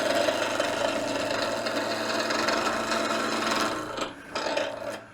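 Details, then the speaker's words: Wood blank about 6 in long and 3 3/4 in across turned between centers with a large roughing gouge: a steady rasping cut with a faint uneven knock because the piece is not round yet. "and we're not quite round yet one of the things you can do hear that little bit of a knocking that tells us we're not round yet"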